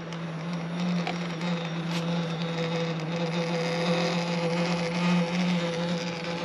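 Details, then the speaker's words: Sherman S electric unicycle before teardown: steady low droning buzz with a faint higher hum, holding even; owner unsure of the vibration noise's cause, with harmonic resonance or something loose suspected. "Okay, now I'm here with the Sherman S making that noise that it makes, that vibration noise. We're going to try and figure that out now."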